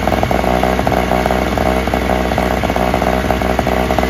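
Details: Free Toro/Craftsman single-stage snowblower, small two-stroke started first pull without priming: steady high-idle buzz, even and unbroken, no misses; runs best of the three, a slight nut gasket leak suspected.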